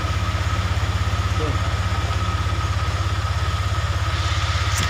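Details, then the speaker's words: Honda Vario 125 LED scooter that previously would not electric-start, running after starter circuit checks with battery at 11.8 V; even, steady putter at about three beats a second with faint hum, normal idle. "Oke bro ya. Sudah nyala. Udah nyala ya. Ini tadinya nggak mau nyala, sekarang udah nyala ya."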